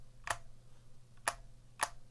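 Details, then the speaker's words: Vortex Cypher keyboard with stock Cherry MX Silver switches; three sharp taps, each with a short hollow ring behind the click; some hollowness from the plastic shell, judged not too bad. "hollowness of the actual shell which it's not too bad it's not too bad"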